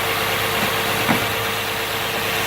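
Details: 2011 Nissan Maxima with code P0171 and high idle of 1,100 rpm in park; fast, raised idle with a steady airy hiss and faint tone from a leaking rear hose with a white line, where covering it changes the idle; vacuum leak.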